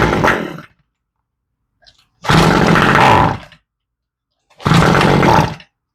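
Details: Toro string trimmer with fuel left in over winter, primed and slightly warm: fires in short rough bursts about a second long then dies each time, from a varnished carburetor needing rebuild.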